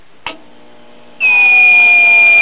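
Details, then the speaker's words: Late-1960s GE solid-state AM clock radio, after replacing drifted 1.5k converter emitter resistor: click, faint hum, then loud steady high-pitched squealing between stations, caused by an open 10 µF electrolytic capacitor in the AVC circuit. "okay we're working but we're not working as good as we could be working hear all that squealing between stations"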